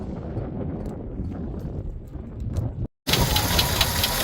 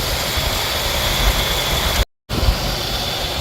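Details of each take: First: 1985 Jeep CJ-7 after a cooling system refresh, overheated after 15 minutes with coolant blasting from an unsealed cap: light, quick ticking or knocking over a rough hot idle; source uncertain, water pump suspected. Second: 1985 Jeep CJ-7 after overheating and cooling down to draw coolant back in: steady, even idle rumble with no tick, one brief dropout; the tick is gone, possibly the water pump (uncertain).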